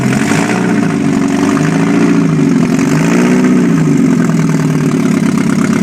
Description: 1991 Mazda Miata MX5 first start after full rebuild. Open header test.